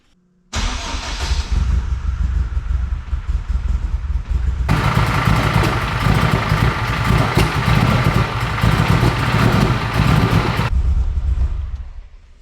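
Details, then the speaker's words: AWD-converted Honda Civic Type R, freshly rebuilt engine, first start: cranks and catches at once, brief rev, then low, slightly uneven idle; oil pressure fine but idle speed too low, short run. "Well, she fired right up. I forgot a data log, so I'm gonna data log it this time around. Oil pressure looked fine. It was idling pretty low, but I didn't let it run for very long, so let's data log this girl."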